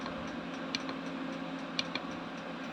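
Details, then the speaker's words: Diesel air heater running after replacing the stock kit pump with a quieter 0.028 ml dosing pump: sharp, light ticks about a second apart over the heater hum; still audible but quieter than the original. "the pump is definitely quieter still can hear it ticking don't get me wrong uh but it is quieter than the uh the standard pump that comes with the uh a the kit"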